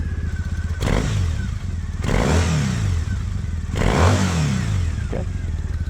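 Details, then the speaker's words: 2012 Triumph Bonneville T100, EFI air-cooled twin on stock pipes, revved in three quick blips from neutral after choke high idle; even rise and fall with steady burble; normal exhaust note. "for stock pipes, I think they sound great."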